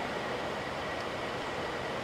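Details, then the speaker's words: 2001 General Electric Quiet Aire air conditioner after fan motor bearing replacement, fan test before cover fitted: smooth steady airflow whoosh, no grinding, rumble or squeal; earlier noise without blades judged normal; bearing runs quietly. "i was a little worried because i thought it sounded kind of noisy before you know i put the fan blades at all on it but i guess that's normal yeah this definitely sounds good yeah very very nice"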